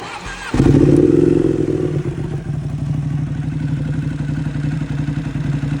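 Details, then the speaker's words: Motorcycle with almost 28k hard miles: engine blips then idles with a light, fairly regular ticking; new noise that gets louder every day, cause unknown. "My bike started making this weird noise. It's like a ticking almost."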